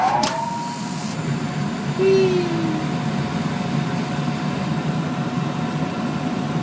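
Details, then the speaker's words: Gas dryer after a new thermistor was fitted: drum turns with an even, steady rumble and the burner lights with a soft whoosh; repaired dryer running normally. "hey baby i love it i love it yeah look at that fire such a lovely fire okay and there is a dryer that has been repaired"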